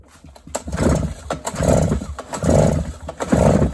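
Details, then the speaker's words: Stihl BR400 backpack leaf blower that sat for years, cranked with the spark plug out and a compression gauge fitted: even rasping pulls about once a second with a firm chuff and no hissing; compression reads about 145–150 psi, healthy. "Give it a few pumps, about 145, 150 pounds, so that should be definitely enough to run this thing."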